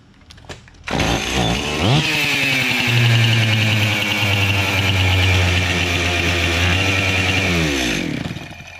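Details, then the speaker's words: Stihl MS 261 chainsaw with erratic running, started and revved: high wavering, unsteady pitch from a severe crankcase air (vacuum) leak; crankshaft can be wiggled, showing play. "air leak vacuum leak on this crankcase listen to it again [Music] pretty severe air leak"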